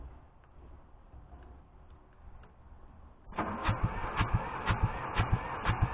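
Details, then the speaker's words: Hamm DV3K roller/packer bought from an auction's inoperable section: diesel cranks steadily at about two compression beats a second, pumping oil, but won't fire or start. "hop up obviously she not firing"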